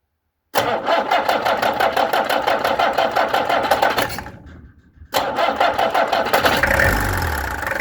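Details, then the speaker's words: Peugeot XD2 diesel after injectors removed, tested and pressure-adjusted: clattery engine fires, dips briefly, then picks up to a steadier, even idle that sounds better; pulling performance untested. "That sounds better. It klink beter. Dit nie, dit trek nie, maar klink beter. Doesn't know how the performance is, but it sounds better."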